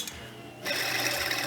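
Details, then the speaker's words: Mustang top idler pulley, belt off and spun by hand: dry, gritty whir that starts suddenly and holds steady, pulley also wiggles back and forth; owner suspects a bad or worn bearing. "here it makes all sorts of noise it could be a bad bearing or a bearing start starting to get a little worn me that's kind of noisy in the fact that I can wiggle it"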